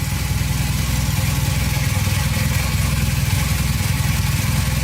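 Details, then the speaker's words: 1982 Honda CM450 that sat for years, first start with the choke on and no repairs done: an even, steady low putter at fast choke idle, about 3.5 beats a second, with no knocks or misses. Running perfectly. "oh hey that was pretty easy it's running perfectly"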